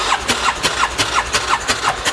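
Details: 2018 Odes 1000 X2 LT UTV that died and won't restart, checking spark at the front plug: starter spins in even pulses, about six a second, and never catches. No spark; the front-cylinder spark plug is fouled.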